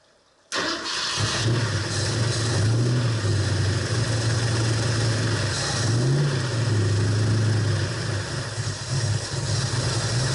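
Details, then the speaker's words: 1968-69 Ford Torino GT 390 FE V8 after installing a fabricated distributor plate, with dwell and timing possibly off: lumpy, uneven idle with wandering pitch; a valve problem is suspected. "you hear that you can hear one of the Val like there something wrong you know it's not"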